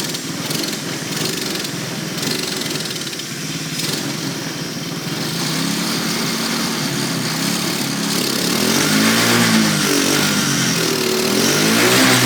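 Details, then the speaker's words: Go-kart small single engine with reverse, battery not holding charge: buzzes along, then stumbles and surges unevenly, nearly stalling at full throttle; cause unknown. "Oh huh it like for some reason that time it started to like stall when you give it full throttle I don't know"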